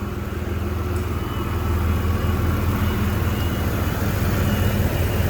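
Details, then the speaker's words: 1993 GMC Sonoma (S15) V6, idling with timing just set on a replacement distributor; the earlier new one got hot and shut off, its grease suspected: steady, even low rumble with no misfire or knocking; running cleanly. "Um, so I'm happy now that it's running. I've got the timing set."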